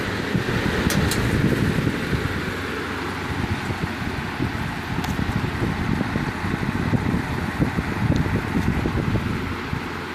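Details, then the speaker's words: Vintage 15-inch Lasko floor fan after servicing a loose blade hub and straightening bent blades: soft, steady whoosh with minimal vibration; smooth and balanced. "very little vibration puts out a good volume of here so I think this thing is done"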